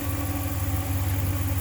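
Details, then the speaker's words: 2014 Dodge Ram 1500 5.7 Hemi V8 just after an oil change, settling from high idle: deep, steady burble with even low hum and no knocks, ticks or dry-running noise; a smooth, healthy idle. "came out of its high idle so it's settling and I'm sure the oil pump through the entire motor by now"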